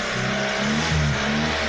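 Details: 1998 Eclipse freshly rebuilt engine during break-in, held at a steady fast idle around 2,000–3,000 rpm: smooth, even note with no knocks or misses; sounds healthy.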